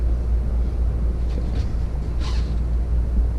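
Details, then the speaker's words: Coleman RVP Mach basement A/C (6535-671) on a Winnebago, two compressors, after power board and compressor relay replacement, set to cool, auto, fan on high (indoor blower only): continuous low even hum, no clicking or cycling; normal running. "the fan is in high speed now this just this high speed that just controls the speed of the inside blower motor has nothing to do with the outside at all"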